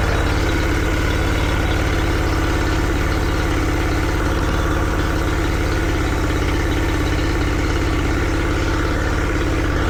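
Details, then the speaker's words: Yamaha 40 hp two-stroke outboard after replacing cracked fuel lines: steady, even idle with smooth low pulse, no misses or stumbles; revs high and holds big loads cruising. Normal running. "Everything was back to normal. Engine was healthy, was going in high revs, not had any problems um under big loads, you know, when when when you're cruising. So yeah, everything was back to normal."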